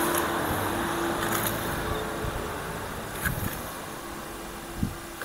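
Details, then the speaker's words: Hand-spun rear-left wheel gives a faint rough hum with a low tone fading as it slows: worn wheel bearing; the right side is silent by comparison. "Nampak ada bunyi kan? Okey maksudnya problem kat sini adalah bearing sekarang kita dengar belah kanan pula."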